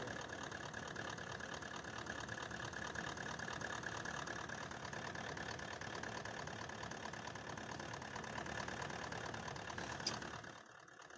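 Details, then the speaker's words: 2018 Toyota Land Cruiser pickup, 1VD 4.5 diesel V8, idling: rough uneven knock about two beats a second from cylinder 7 not firing (dead injector); also low pickup; misses until code cleared. "अभी जिस time code clear ना होगा तो ये गाड़ी इसी तरह missing करेगा।"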